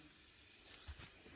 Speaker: So blow that off, blow that off. Airline is leaking, it's really annoying.